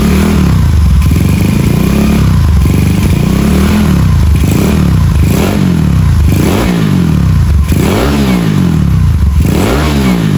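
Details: Rebuilt Honda Beat carbureted 130cc daily, stock valves, in frame, carb tuned, quiet exhaust: repeated quick blips rising fast and falling cleanly, no clatter or hesitation; healthy free revving.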